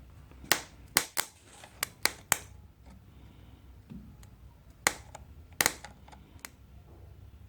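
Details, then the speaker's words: Old 1980s Honda ATC200 three-wheeler, neglected and parked for years: with a no-crank fault, the starter gives sharp irregular snaps, crackles and sparks from arcing with heavy current draw and no cranking rhythm; the starter motor is suspected seized. "Yeah. Okay, I think our starter motor seized up."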